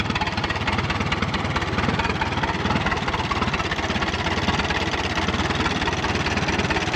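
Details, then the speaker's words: 1936 Allis Chalmers WC tractor, first run in over five decades, radiator spilling water: steady even low-pitched chugging idle with no knock or miss; engine sounds good, normal idle. "Man, listen to that thing purr. Oh my gosh, look at the water puking out of the radiator. But the engine, the engine sounds good."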